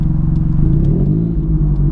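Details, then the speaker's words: Car on the motorway after a loud bang: deep, loud rumbling drone under load with a raw throbbing note; exhaust leak, exhaust split open at the side near the catalytic converter. "I was just on my way to meet rounds life riding and my exhaust exploded the cat must have just gone the catalytic converter just gone like literally it's just split at the side of the exhaust"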